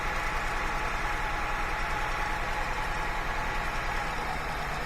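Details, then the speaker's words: 2001 Honda Accord 3.0 VTEC V6 with misfire codes P1399/P0301, cylinder balance test at idle: rough, loping idle that sags when this cylinder's coil is unplugged, so that coil is good; idle improves when reconnected. "I heard that I heard the RPMs drop off so I know this coil is good engine does better when I put it back"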